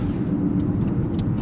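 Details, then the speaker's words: 2015 Buick Regal driving at road speed, windows up: constant low droning howl rising with speed from loud cupped tires, not the wheel bearings the owner had replaced (left front, right rear). "Put the windows back up quick. Man, those tires are loud. They're just howling."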